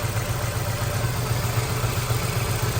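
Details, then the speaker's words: Honda S2000 at 176,000 miles, check engine light with three misfire codes and an air temp sensor code; petrol engine idles with an uneven, lumpy, irregularly pulsing throb from misfiring. "so of course we've got a check engine light we've got 176 000 miles already verified it it's got three misfire codes and an air attempt sensor code but you hear the motor right here"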